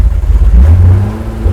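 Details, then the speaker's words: 1983 GMC Sierra 250ci straight-six, sat 17 years, fuel fed from a can into the gunked-up carburetor: deep, uneven revving that flutters and sags; owner suspects clogged idle jet and split vacuum lines, not confirmed. "Idle Jet might be clogged for sure I can keep it maybe we're not getting that bunch of fuel flow"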